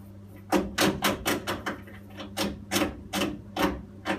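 Sharp, irregular tapping about two to three times a second over a low steady hum: the boiler is ticking, cause not yet pinned down.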